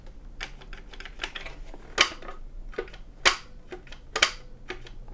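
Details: Original Sony PlayStation 1 power and open buttons tested after the squeaking and sticking fix with silicone grease and reassembly: crisp clean plastic clicks about once a second, no squeak or drag, buttons moving freely.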